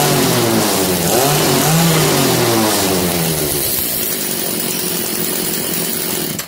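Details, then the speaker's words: Echo CS330T top-handle arborist chainsaw, two-stroke, revived, no bar or chain fitted: crisp revs climb and fall cleanly, centrifugal clutch grabbing the drum smoothly as rpm rises; normal revving with clutch engagement. "That's how a centrifugal clutch works. Certain RPM, the springs, that piece in the middle will go out and grab this drum, which drives the chain."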